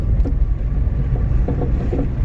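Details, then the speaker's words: 2012+ Chevy Sonic/Cruze driven over rough road, front suspension noise mostly on the right side on up-and-down travel (struts, mounts, ball joint or sway bar suspected): irregular dull knocks with the bumps. "what's making that noise, and it's kind of annoying. So that's up and down motion. It could be the struts, upper mounts on the struts, bolt joint, or it could be a sway bar."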